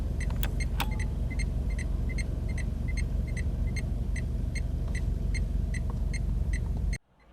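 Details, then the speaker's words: Dacia Duster hazard warning lights: crisp, even ticking about two and a half per second over steady idling rumble, same annoying sound as the indicators; hazard flasher working normally. "Could this have the most annoying indicator noise I've ever heard? You hear the same noise with the indicators. Or the hazards."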